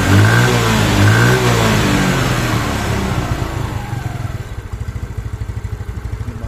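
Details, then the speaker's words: Yamaha Mio Sporty scooter after repair for lost compression (engine cranked light): sharp rev falling back to an even, steady idle about three beats a second, no more smoke, smooth; exhaust leaks. "ini sudahah engak ngebul dan juga ini stabil ya langsamnya kita mau coba"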